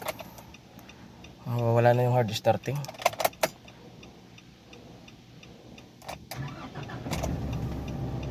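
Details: Nissan Navara NP300 D23 with YD25 diesel, with hard starting, low power, engine light and codes P0628/P1272: brief starter churn, engine catches promptly and settles to a quiet, even idle, a normal start.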